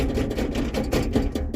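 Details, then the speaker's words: Mustang driver-side door: irregular hollow clunks and rattles as the window glass flops about, because the guide rail came loose after two bolts backed out and were lost. "you can hear that it's rattling around the glass is flopping around the guide rail that makes the glass slide up smoothly has come loose"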